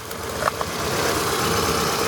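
Idle with a slightly uneven, lumpy beat under a steady hum, consistent with one cylinder misfiring, here number two.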